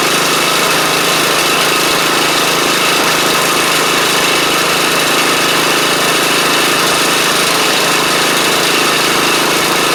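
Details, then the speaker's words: Troy-Bilt Pony rider with replacement used engine and new head gasket, cold start next morning: steady, even single-cylinder running with no knocks or misses; smoked for the first minute then cleared; normal running. "It runs great. It just smokes a little on startup."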